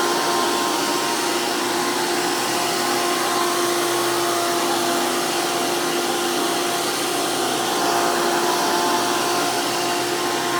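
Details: Hoover PowerMax II U5246-940 upright vacuum (2002), direct-air design with 12 amp motor, high RPM and 20-blade fan impeller, after motor work: loud, steady high-pitched roar with clear fan whine, level and even. Normal running.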